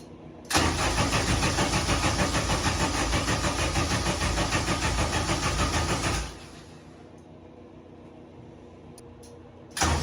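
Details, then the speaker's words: K-series engine in a supercar build, first start attempt after wiring relays, with fuel pressure present: steady, even cranking at about three turns a second for nearly six seconds that never catches, so it cranks but won't start; the cause is unknown. "well no start it's got fuel pressure back there so something else going on"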